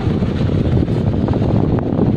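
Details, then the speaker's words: Stand fan brought in for being noisy and slow, cleaned and reassembled, then tested: steady low hum and whoosh of strong airflow with no rattle or scraping; fan now spins freely and runs normally. "Ayan. Malakas na yan. May hangin na siya kanina pala eh."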